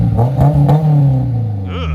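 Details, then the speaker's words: High-mileage AP2 Honda S2000 with an aftermarket exhaust of unknown brand that spat out a rock on startup: a quick rev blip with a coarse, raspy, droning exhaust note, judged to sound worse than an HKS. "It spit a rock out. Sounds like shit. Oh, you're being super critical, huh? HKS sounds better."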